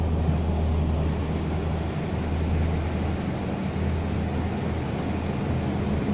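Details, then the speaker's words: 2001 Ford/Mazda pickup (Ranger twin) with code P0301 after an engine wash: steady low idle with a faintly lumpy, uneven beat; a timing light shows no sparks from the cylinder-one coil pack tower, a damaged coil. "este no tenemos ninguna luz lo cual indica que esa torre de esa bobina no está trabajando"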